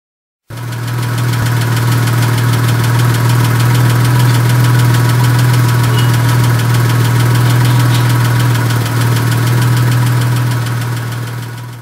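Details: Porsche 996/986 M96 engine at steady idle with a light, regular tapping of about four ticks a second from the valvetrain; valve tappet noise.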